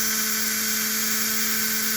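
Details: Rebuilt Flyer DC motor (armature polished, some cupping remains) in locomotive #2: steady even high whir over a clean hum, no knocks or rattles; running smoothly at speed.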